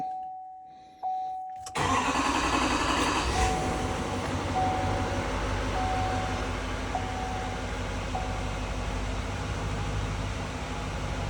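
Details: L5P diesel start after an oil change and fuel filter replacement, with the lift pump primed several times first. Steady priming hum, then it catches within a second and settles to a smooth idle with no knocks; oil pressure comes up.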